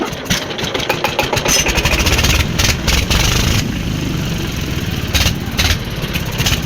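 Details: Old single-cylinder diesel engine (Deggi), after plug change, refused to start easily and finally started with great difficulty: repeated uneven cranking chuffs catching briefly and stumbling; hard starting.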